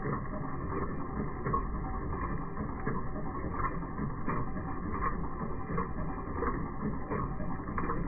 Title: 2006 Sprinter ticking sound - again